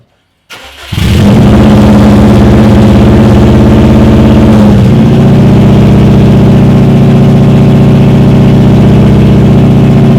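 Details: Subaru WRX with only a 3-inch downpipe, exhaust ending under the car, completely straight-piped: catches after a brief crank, then a very loud, raw, blatty idle with a deep steady drone.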